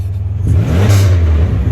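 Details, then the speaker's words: Pontiac Grand Prix daily driver whose single exhaust was converted to double, with one exhaust lost to potholes about two days ago: a deep loud blat rising with revs and heavy low rumble. Loud open exhaust from the missing section. "And I also converted the sound of this car, all right? So I think I'm gonna start it to show you guys exactly how this car sounds. It's crazy, guys, it's crazy."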